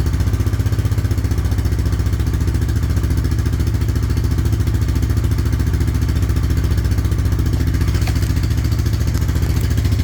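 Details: 1998 Honda 300 4x4 ATV sat for years, first runs after adding oil, before carb job: single cylinder thumping at steady idle about three to four beats a second, even; running fine.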